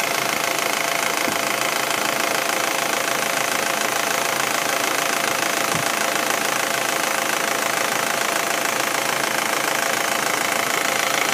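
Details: Audi A4 1.8T, engine warm: fast, even light ticking about two per second over steady warm idle; top-end tick that appears when the engine gets warm, cause unclear.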